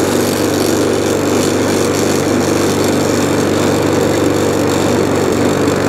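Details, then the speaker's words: Discarded 2017 HP hand-propelled 185 single-cylinder lawn mower running steadily with a coarse, slightly shaky buzz; mild vibration, which the owner suspects is a bent crankshaft or damaged blade, not confirmed. "So, it is a little bit shaky. Which could just be um uh a bent crank, blade damaged. Not a lot though."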